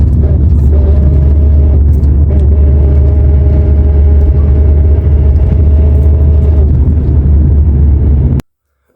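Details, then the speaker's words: Nissan Primera P11 manual gearbox, in 3rd under throttle: steady mid-pitched whir over the drivetrain rumble, stopping when the clutch is pressed; worn input shaft bearing, gearbox had water ingress, repaired by gearbox rebuild. "Bakın şu an 3 viteste bıraktım akışına hiçbir ses yok ayağımı debre basayım sese bakın şıkır şıkır şıkır şıkır debriyajdan çekiyorum Yine ses yok gaz verince y uğ hulu bir ses"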